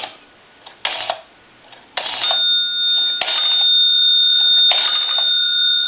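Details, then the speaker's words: Automatic Electric 1A type desk telephone on test, being rotary dialed: short bursts of light bell tinkling in step with the dial pulses over a steady dial tone; bell box set very touchy to voltage fluctuation, a normal sound. "you hear the bell box tinkling the bell as you dial it out, and that kind of is a little extra added sound effect. because we set these bells up so that they're very touchy, and they activate at any little bit of voltage fluctuation."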